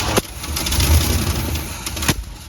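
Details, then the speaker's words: 1957 Chevy Bel Air with a 350 Chevy crate V8, new Edelbrock intake, Rochester Quadrajet and repaired fuel system, first fire-up in years. It catches and stumbles with sharp pops and an uneven, labouring run because the ignition timing is way off and needs adjusting. "yeah our timing is way awful have to adjust that"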